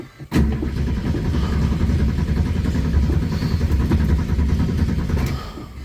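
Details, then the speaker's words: 1970.5 Ford Falcon six-cylinder junkyard car, owner suspects fuel pump losing prime or bad, carburetor needed, radiator suspected leaking: engine catches, runs rough and lumpy, then cuts out and stalls. "See if I can get it started. We'll see what we're heagging. All right. Oh, she's cutting on me again."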